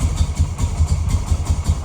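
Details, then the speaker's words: 2003 Yamaha Bear Tracker 250 ATV after carburetor cleaning, jump-started: low thumping single-cylinder idle with loping, slightly uneven beat about five pulses a second; runs but idles rough, carb may need adjusting. "I might have adjust the car a little bit that's what it sounds like but she's running guys"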